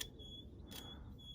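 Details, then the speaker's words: Webasto 55 EVO diesel heater, during seasonal rebuild: thin steady high squeal near 3 kHz over low rumble from the combustion air fan, attributed to dust and debris buildup. "that will give you your actual fan i can hear that i don't know if you can hear that squealing"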